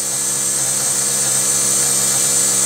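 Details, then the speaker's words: Rover 75 CDT diesel after fuel system service, ignition on, engine not started: high, steady whirr of even pitch as the self-priming system runs, no fuel leaking; normal fuel lift pump priming. "I'm not gonna start the car so the system is supposed to be self-priming that's whizzing making some wiry noises can you hear that"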